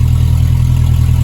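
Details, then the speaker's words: Ford 63.5 Falcon Futura hardtop purring with a steady, deep, even idle rumble, no knocks, ticks or misses, just after plugging in the original alternator's connector; the gauge now reads way up, so it wasn't charging before. "Listen to that thing purr, Lord."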